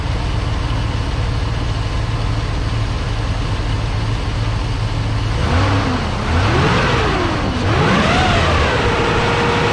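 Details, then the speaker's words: Truck's first start in about eight months: even, steady low rumble from a big engine settling into idle, with a fan-like whirr over it; runs clean and healthy. "hmm this thing sounds like a giant fan"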